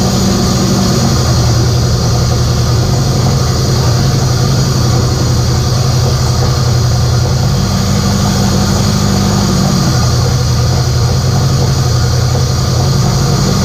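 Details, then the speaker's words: K24a2-swapped Acura Integra first start after injector issue fixed and reinstalled, open downpipe, radiator off: loud rough-edged steady idle, speed wandering slightly; starts and keeps running fine; normal idle. "well it starts"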